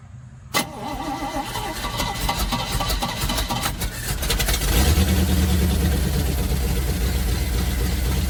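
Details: 1971 Chevrolet C40 truck with manual choke, first start after hours of carb cleaning and reinstalling the rotor/cap: catches after a brief crank and settles into a fast, steady high idle; choke needs adjusting, cleaned carb now more effective.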